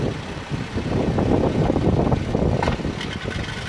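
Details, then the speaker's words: 2014 Jeep Wrangler Rubicon Unlimited, 90,000 km (55,000 miles), idling: rough rumbling whir from a worn clutch release bearing, heard with the clutch released and gone with the clutch pressed; replacement with a Centerforce clutch is planned. "So that's the clutch throwout bearing that's gonna be replaced this week."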